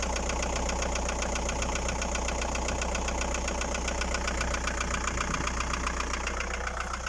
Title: Стук в двигателе Фольксваген Пассат б4, 1.9 td. AAZ Стучат поршня.